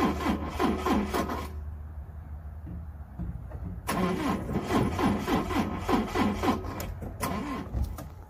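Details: Volvo stranded in a school parking lot, after giving some starting trouble that morning: two spells of steady starter cranking, about four turns a second, with a pause between; the engine never fires. Crank, no start.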